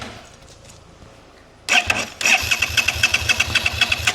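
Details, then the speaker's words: 2011 Suzuki SFV650 Gladius bought cheap, spark plugs changed, fault codes present: starter whirs steadily at roughly two beats a second with no firing or catch. Owner suspects the tip-over sensor, not confirmed. "Now, if you start it with the throttle, nothing."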